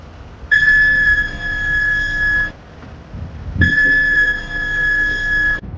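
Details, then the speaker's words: Car's front wheel area while braking, dealer advised replacing brake pads: two sharp steady high-pitched squeals about two seconds each; brake squeal, cause unconfirmed, squeal gone after owner's DIY front brake fix. "这台车在踩刹车的时候，前轮这个位置啊会发出刺耳的尖叫声。"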